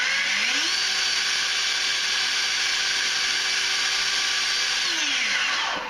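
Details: EGO 56V leaf blower in turbo mode on a XAVITO 4Ah (claimed 5.3Ah) EGO-compatible battery: motor winds up to a steady even high whine, holds without wavering, spins down cleanly; normal running, charge lights sag from four to two under load.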